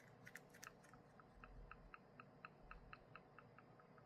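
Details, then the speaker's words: Creaitem MagSafe Mount Expert MSH1 with Mini Me tripod TP3: a slight, quiet crisp metallic clicking, about four a second, from the tripod's centre joint as it is worked; the owner thinks it is probably fine. "아, 줄 때 딸깍 소리가 살짝"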